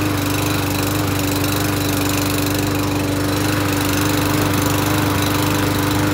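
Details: Lawn mower engine holding steady speed with even pulse and constant hum, no surging or sputter, after the owner twice cleaned the carburetor with solvent and finally started it using gas assist; running fine.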